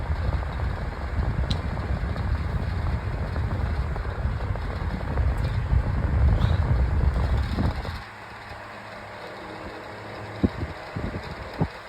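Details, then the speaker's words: Old 9-inch Dayton oscillating table fan on high speed after the switch knob was oiled with machine oil: steady low rush of air and even motor hum, then a quieter run; normal operation moving plenty of air. "blowing a lot of air on high actually."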